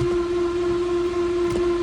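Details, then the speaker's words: 2013 Dodge Dart, FPT C635 dual dry clutch transmission, abandoned car with no history: steady piercing high-pitched shriek over a low rumble when trying to engage gear; "gear not available", transmission judged bad. "Let's see if it goes into gear. Oh, I'm going to say the transmission is bad."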